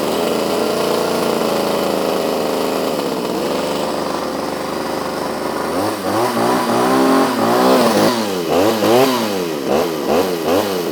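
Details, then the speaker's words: Restored Pioneer P26 two-stroke chainsaw (built 1976–81), with its loose exhaust just tightened: a wavering idle that won't hold, with rev blips, yet it runs well otherwise; rough idle, and the owner thinks it is a little rich. "She doesn't want to hold an idle, but runs pretty good. I think she's a little on the rich side, but I think we're going to leave it like that because I don't want to blow this thing up playing with it."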